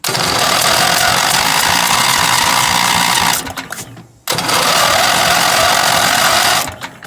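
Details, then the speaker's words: 1975 Gravely 816S tractor with a starter swapped from a parts engine and a blown head gasket: two bursts of harsh rapid clattering, about four hits a second, cutting off abruptly; starter drive gear stripped, totally gone. "Starter gear was going to burn up. Well what do you know? The starter gear is totally gone."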